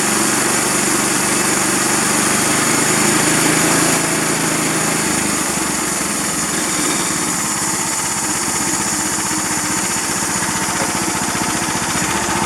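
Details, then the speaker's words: 13.5 HP Briggs engine, plastics off, after ultrasonic cleaning cleared the blocked carburetor idle passage: revs up then drops back to an even idle that holds without surging, hunting or stalling; repaired. "So well, that's encouraging because it doesn't have that surge, the surge like it was doing, and it's not dying."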